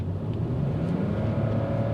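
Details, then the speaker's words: £500 BMW 5 Series 2.2 L six-cylinder under hard throttle on an open road: smooth even growl climbing in pitch, no knocks or misses, changes gear nicely and smoothly; healthy engine. "does sound nice though change his gear nicely as well nice and smooth"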